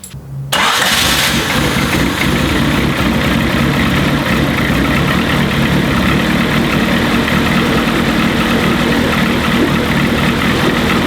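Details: Turbo Honda CRX D15/Y8 after swapping in a Delta 272-2 regrind cam and setting valve lash: cranks, catches, settles into loud slightly uneven idle; cam timing may need adjusting.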